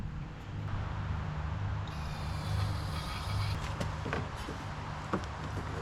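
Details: Late-90s Honda Harmony 1011 riding mower engine after restoring good spark with original key switch: catches and keeps running at a steady low hum, handling clatter nearby; starts and runs normally.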